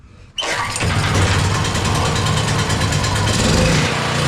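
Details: Powerhorse 4000ES generator that had been sitting and would not start: the engine fires at once and settles into a steady, even, throaty run with no misses or knocks; a normal start and run.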